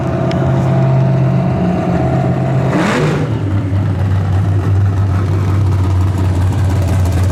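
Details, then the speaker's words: Chevrolet S10 carbureted V8 revving then falling back to a deep rumble, crackling and breaking up off the rev; not carburetor, fuel system, floats or plugs per owner, cause unknown. "Oh, no, crackling again. Hear it crackling?"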